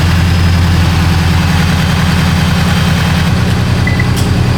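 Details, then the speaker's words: Toyota GR86 first start after JDL turbo kit install, jump-started after battery problems, not yet tuned; steady low idle with even pulse and faint turbo whistle audible, sounds normal. "Running. It sounds normal too. You can hear the turbo a little bit."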